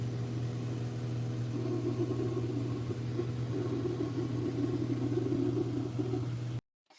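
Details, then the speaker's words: Cockpit noise during the first test flight of the Jonker Sailplanes JS2 glider: a steady low hum with a rushing whoosh swelling over it; the source is unclear, possibly the radio, airflow, or gaps not yet sealed. "you hear this noise there? I'm not sure if it's the radio or it's some air flowing there, which is not perfect, or some gaps which are not sealed perfectly up to now."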